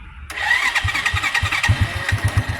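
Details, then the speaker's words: Honda Astrea motorcycle, 28 years in use, kept as a collection bike: strained, heavy starter whine with slow chugs before the small engine catches, as the long-unreplaced battery is weak; slow cranking from weak battery. "Cuma tadi kedengeran ya suara starternya agak berat, karena emang akinya udah lama nggak diganti, dan motornya juga bukan motor kerjaan lagi."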